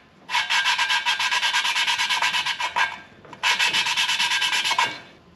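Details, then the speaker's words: BMW M54 cylinder head from an overheated Z3 engine, machined head, valve lapped by hand with Permatex compound: back-and-forth hiss in two bursts, tone changed from gritty to smooth, no catches; shiny even seat pattern. Normal valve lapping. "you can hear that tone change from real gritty to smoother all right here how smooth that is"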